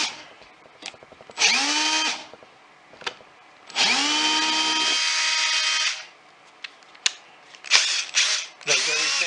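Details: Milwaukee M18 Fuel cordless drill, about 10 years old, after brush replacement fixed it after it died: several clean spin-ups to a steady whine, winding down smoothly with no grinding; runs normally.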